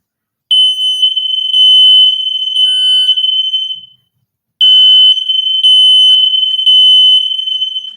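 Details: Smoke detector in a house under remodel, test: a piercing high-pitched alarm in two long bursts of rapid pulsing beeps, loud and steady; the alarm sounds properly.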